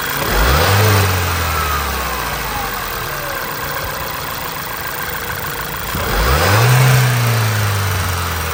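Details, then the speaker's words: 2010 Volkswagen GTI 2.0 TSI after replacing PCV diaphragm (code P2187): cranks, catches with quick rev flare, then settles to steady even idle with no whistle or hunting. "all right now completes the job we're done we'll go ahead and start the car and see if it sounds any different"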